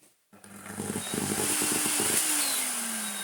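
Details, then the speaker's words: Miele S8 vacuum cleaner motor at switch-on: ragged stuttering burble for a second before settling to a falling whine; motor works but sounds burnt out and croaky. "oh no okay does work but it is burnt out croaky that's a that's a bit of a turn up for the books and now is it volatile not that it randomly spuffled and burbled"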